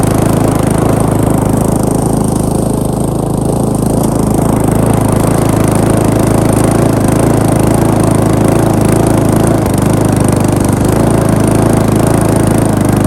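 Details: Briggs & Stratton lawn mower, first start after rebuild: small single-cylinder engine catches and settles into an even, steady run with no misses, knocks or surging; runs normally, though throttle linkage needs adjusting.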